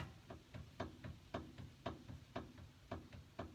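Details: 2011 Ford Ranger with wandering steering on uneven pavement, front wheel raised and rocked top to bottom; wheel bearings replaced, probably in 2019: dull thunks about once a second. Worn upper ball joint, not the tie rod.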